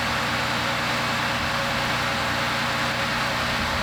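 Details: 1993 Toyota Land Cruiser 80 with newly rebuilt engine, first start after install: steady, even run with a smooth regular firing beat, no knocks or ticks; normal idle.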